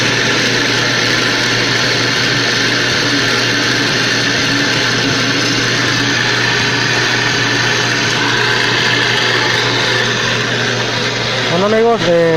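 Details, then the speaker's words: Magic Chef Performa washer (same mechanism as Maytag Performa), noisy when starting to wash: loud, rough, steady whirring hum; the drain pump bearing is damaged, wetted by leaking water from wear, and the pump must be replaced. "ya detectamos la falla. El problema está en el valero de la bomba del agua. Ese es el detalle, es la falla que tiene."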